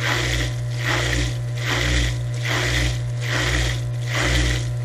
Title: EC Circulation & Drain Pumps for Dishwashers - Cavitation Noise for Traditional Pump